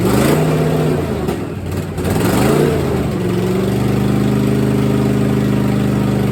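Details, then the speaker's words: 1964 Chevelle V8 first start after sitting, little coolant in it: blips up and settles to a loud raw, popping idle unmuffled on one bank; open header leaking exhaust, three header bolts missing. "she sounds decent sound a lot better if we could find those three bolts for the exhaust but what the hell they were thinking God only knows yeah it's a open header on this side"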